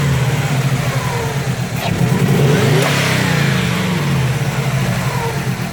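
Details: 2005 Subaru WRX EJ20, code P0340 and cylinder 3 misfire despite new coil, spark plug and front O2 sensor, timing belt and MAF checked, compression good: uneven, stumbling exhaust pulse with a lumpy beat as the engine revs up and settles; cylinder misfire.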